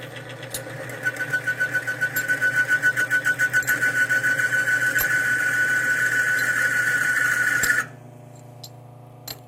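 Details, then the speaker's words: Timken bearing demo machine, bearing lubricated only with regular motor oil, loaded with weights: steady high whine that throbs and builds as load rises, then cuts off abruptly as the bearing seizes. "I want you to listen to the difference did you hear that little squeal and then it's smooth out after two or three revol"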